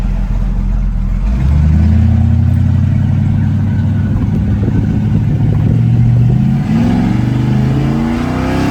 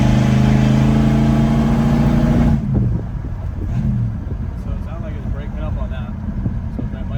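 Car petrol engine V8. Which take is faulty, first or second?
second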